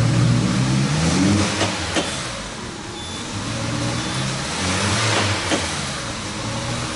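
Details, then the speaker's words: Peugeot 308 2.0 16-valve that is hard to start and going into Eco mode: it catches reluctantly and keeps running only with throttle, revs rising and sagging unevenly. Backfire signs are seen at the throttle body; the cause is not confirmed. "Vamos lá vamos fazer o carro funcionar ó e vai pegar com dificuldade"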